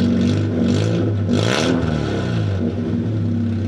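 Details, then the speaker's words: Fiat Panda 4x4 warm engine with exhaust pipe removed: blips rise to harsh crackling rasp; raspy open exhaust note, exhaust also full of holes and blowing. "Very raspy. Let's put that pipe back on again because I don't want the neighbours complaining."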